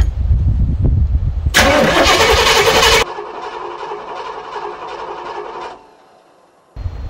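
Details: 1994 Chevy 3500 HD big-block V8 tow truck, sat for years in an auction yard, fresh battery: starter turns it over at a steady rhythm but it never catches, then hissing and quiet; fuel delivery being checked, starting fluid next.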